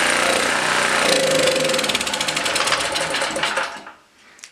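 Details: Blue Max Gen4000B generator, sat for years, carburetor replaced a year earlier: runs ragged and busy a few seconds, then loses power and dies; stalls after starting, cause suspected, not confirmed.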